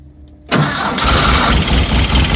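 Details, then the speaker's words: Engine start using the rear starter switch by the oil cooler after switching on the centre fuel pump switch; it catches at once into a busy, steady idle. Oil is run half a quart low to stop breather splashing. Normal engine start. "we go. We're running."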